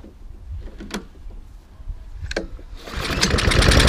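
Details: Hayter lawnmower with a Honda engine, started with fuel on and no leaks: some rustling and handling, then it catches and settles into an even, steady run with no misses. Normal running, though the mower drive is not working.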